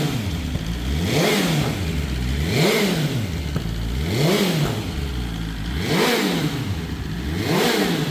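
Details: BMW S1000RR first start after the oil plug came out and oil went everywhere: steady idle with clean, even throttle blips every second and a half; engine sounds healthy and smooth.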